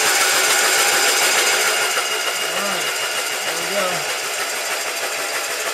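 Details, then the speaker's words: Restored Kohler Magnum M18 twin from a Cub Cadet 1882 on a test stand, cranked with spark plugs out on a slightly weak battery to check oil pressure before first start: fast, even whirring with no knocks or binding; normal cranking. "so i'm gonna crank it over and see what kind of oil pressure we get and then we will put the spark plugs back in and fire it up hopefully"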